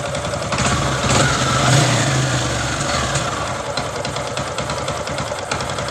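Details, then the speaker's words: Honda Supra X 125 single after running out of oil, rebored with new piston so smoking stopped; idle with hard, steady knock about four per second under exhaust; connecting rod knock remains. "Tapi untuk suara stang sehernya itu belum hilang gitu. Jadi nanti ini saya hidupkan dulu sebentar suaranya biar teman-teman itu tahu."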